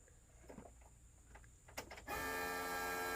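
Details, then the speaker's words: At key-on: a steady, high-pitched electric whir as the in-tank fuel pump primes normally; absence of this sound suggests a failed fuel pump. "That's your fuel pump. So if you don't hear that sound, you can guess that your fuel pump is not working."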